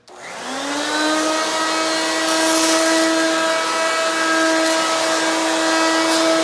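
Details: Hoover Quik Broom II S2141 stick vacuum, damaged in shipping: steady piercing high whine with harsh airy roar, louder than an S2095; owner suspects shipping impact knocked the motor out of balance or broke the fan.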